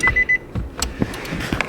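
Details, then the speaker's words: Wrecked 2016 Nissan Juke auction car with seat belt and TPMS lights stuck on: three quick, clear high beeps, then cabin clatter; door-ajar chime with the door-ajar and seat belt warning lights showing. "all right so we got a door jar light and a seat belt light as well"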